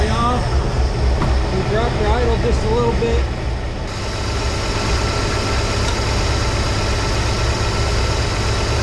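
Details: 1983 Ford F150 300 inline-six after the Carter YFA one-barrel carb fix, idle maybe still fast for a manual: settled low rumble with a faint occasional stumble, air cleaner off and old rancid fuel in it. Normal idle.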